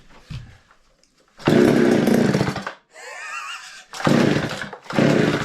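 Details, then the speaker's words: Garage-sale Mac 610 two-stroke chainsaw, fuel squirted into carburetor, choke on: three short ragged firing bursts, each dying after about a second; runs only on primed fuel, then dies. "let's move on to the crack event here in the saw shed I wasn't expecting that to fire so quickly"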